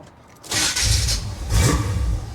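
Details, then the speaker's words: 1977 Chevy Monte Carlo, off the road for decades, first start after hooking up battery and fuel pump: harsh, loud whirring grind from the starter while cranking; starter needs shimming. "wow that starter is loud I'm going to have to shim that"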